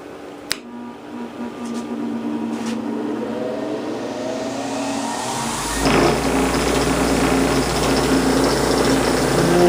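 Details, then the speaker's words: Bench grinder after guard bent away from the wheel for clearance: even, steady motor whir rising smoothly to speed, no rubbing or scraping; normal running. "these tools off of here yeah that's a lot quieter these tools will vibrate around on there"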